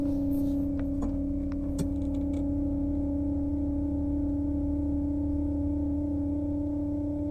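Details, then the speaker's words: 2006 BMW X5 (E53), which cut off while driving and would not restart, original fuel pump activated: a steady whine with a low tone and a higher one above, no surging; the owner suspects this old pump, to be replaced. "all right so here we are inside the 2006 x5 i'm gonna activate if you can see that activate the fuel pump and let's hear what it sounds like"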